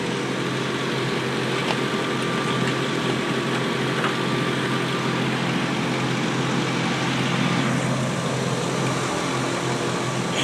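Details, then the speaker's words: Bagged, body-dropped 2000 Ford F-150, started after sitting about three weeks, with no check engine light ever seen: a steady, even idle with a smooth low hum and no knocks, misses or odd noises. "I said I see no check engine light ever come on on this thing but it runs fine I'll start it up it's been Satin for probably three weeks"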